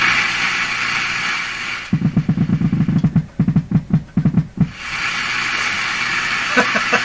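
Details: Canadian PYE Model 39HC radio after the original volume control was replaced with a similar one: rapid low putt-putt pulses, about five a second, starting and stopping over hiss; motorboating oscillation, cause unclear.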